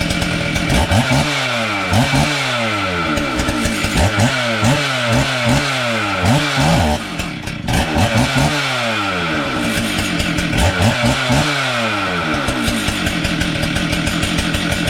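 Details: Stihl 044 chainsaw, freshly rebuilt, first start on the bench, chain brake on, not yet warmed up; crisp two-stroke revs climbing and dropping cleanly in repeated blips, no misfire or rattle; runs healthy.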